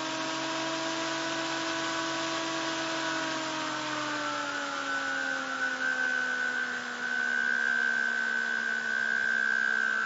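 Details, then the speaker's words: SSG/Imhotep fan motor driven by a Darlington pair (TIP142) and TIP31 transistors, magnet stuck on: motor hum rises smoothly as it speeds up, then a thin steady high squeal; circuit self-oscillating, charging current climbs. "like it's trying to self-oscillate now right there the charging is going up to beat the band it sounds like it went into self-oscillation"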